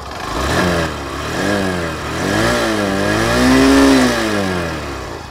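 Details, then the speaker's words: Honda Shine 100 100cc motorcycle: revs up and down smoothly with an even, moderate exhaust note, neither very loud nor silent, similar to HF Deluxe; no knocks, though a loose nut is rattling; normal exhaust sound while revving. "बहुत ज़्यादा loud भी नहीं है, बहुत ज़्यादा silent भी नहीं है, लेकिन हाँ HF Deluxe के कंपैरिजन में बराबर बराबर का जो है साउंड है, जैसा HF Deluxe का है वैसा ही साउंड आपको यहाँ पे भी देखने को मिल जाता है।"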